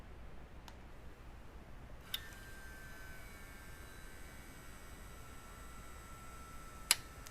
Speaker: then the speed switch occurs, and then at the end we'll hear the end switch click that then sends everything